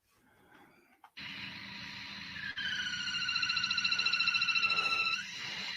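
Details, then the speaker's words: VW/Audi crankcase breather pressure-regulating valve with a ruptured diaphragm: piercing high squeal pulsing about three times a second over the running engine, stopping abruptly when the dipstick tube is pulled; PCV diaphragm squeal, vacuum leak causing lean faults. "so as soon as he pulls the dipstick tube right you are now don't have enough vacuum in there for the valve the diaphragm to make that noise so that's kind of the noise you'll hear that that real high pitch squealing"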